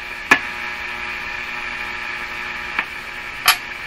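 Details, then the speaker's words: Hallicrafters S-40A shortwave receiver on an isolation transformer, during checks of the 'death capacitor' and chassis grounding. A faint, steady mains hum with sharp crackles in the audio vanishes when a connection is placed; cause suspected, not confirmed. "I hear a hump faint hum and that home disappears entirely when I put this here a little bit unexpected"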